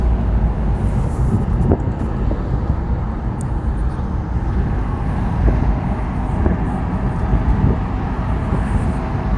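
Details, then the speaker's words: Land Rover Discovery 300Tdi diesel after a road drive, with a new timing belt, head gasket, skimmed head, glow plugs and ancillary belts, idling and heard through the lowered window from outside. Steady even idle with no knocks or misses, normal. "And we'll drop the window so you can, as we're finishing off this video, have a listen to it idle along the outside."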